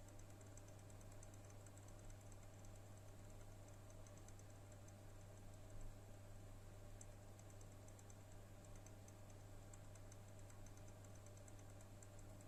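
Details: Month-old NVIDIA RTX 3060 Ti 8GB HP OEM card in a prebuilt HP PC: light, irregular random clicking from the right fan (#1) only, over a steady hum, with both fans at 30%, 1098-1123 RPM at idle; cause suspected, not confirmed.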